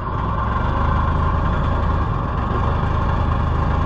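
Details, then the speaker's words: 1980 Harley-Davidson golf cart, old petrol engine running after auction purchase: labouring, uneven lumpy low rumble that surges and struggles to keep running; owner suspects poor fuel mixture and a weak fuel pump, plans tank cleaning and mixture correction. "come on yeah I think our fuel mixture is not helping us"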